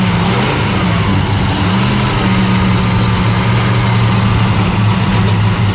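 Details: '75 Plymouth Roadrunner engine, freshly started after a carburetor fire and choke changes: runs rough and uneven at low speed with a hunting beat, backfiring on throttle; points to intake gasket leaking vacuum.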